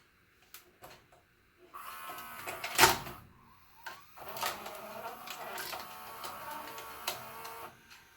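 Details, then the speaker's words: JVC HR-S3500U Super-VHS VCR, bought in 1998 and about 25 years old, before regreasing: clicks and a faint scraping creak once the tape sits in and the loading gears move. Owner suspects dry loading gears but can't tell which part. Creaking during tape loading. "I want to show you or let you listen to when it loads a tape it's it sounds like it makes like a creaking kind of noise"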